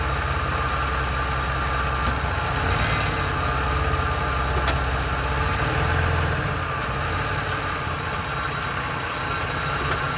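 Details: 1997 Ford F-150 4.2L V6: loose, uneven rattle of a few taps a second over the idle, occurring only in drive or reverse; cause unknown.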